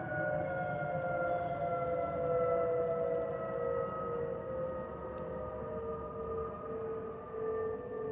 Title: Delta Airlines Airbus A319-114 N352NB DL1435 DCA-DTW (FOPP Whistling Sound)